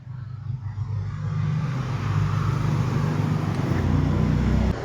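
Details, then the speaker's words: Honda Click 110i scooter that won't start, with compression reading about 49 before the valves were lapped and about 66.5 after: the starter churns for seconds with weak, uneven firing before the engine barely catches, from low compression. "ติดแล้วกล่องความดันในต้อยดีไม่พอก็พูดง่ายๆก็คือกำลังอัดไม่พอนั่นแหละ"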